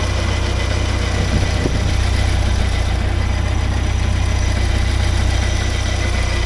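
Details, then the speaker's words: 1979 Porsche 924 idling, noise up front: steady low drone with faint even whir, bearing-type noise; owner suspects the alternator, not confirmed; alternator was later replaced. "Yeah, you can hear something here. I think it's the alternator. Not sure though."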